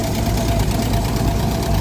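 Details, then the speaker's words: 1946 Power Wagon engine after carburetor repair: rough low idle with faint tapping over the exhaust beat; valve/lifter at the back, under the exhaust, possibly not reseated and needs tightening. "yeah that valve needs to be tightened up the way back too we tried taking them out and I thought I got them in back in place but might not"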